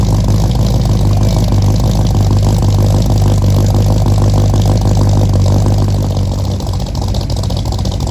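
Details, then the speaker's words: 1964 Mercury Comet, freshly built with FloTek 180cc aluminum heads, Trick Flow Stage 1 cam, Victor Jr. intake and 1-5/8" headers, first start: loud lumpy low idle, uneven beat, stumbling, some smoke; owner suspects fouled plugs and too-rich idle from mismatched carb springs. "for the first time and it didn't go perfectly didn't go terribly it didn't go perfectly I think there was a couple things going on uh that contributed to that and basically where it's at right now is I'm pretty sure the plugs are fouled um I'm seeing a little bit of smoke"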